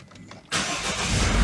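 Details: Citroen Berlingo (Peugeot Partner) diesel, secondhand BSI and immo-off EDC17C10 ECU, started after programming two keys including a remote: quick crank, catches cleanly at once and settles into a steady, even rumble with no stumbling; normal start.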